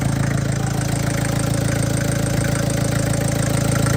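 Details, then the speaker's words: MK1 Ford Transit diesel idling after fuel system overhaul and fresh oil change: steady even firing around 200 pulses a minute, no misses or knocks; running smooth, still blowing crap from exhaust. "Running pretty smooth now. Still blowing crap out of the exhaust."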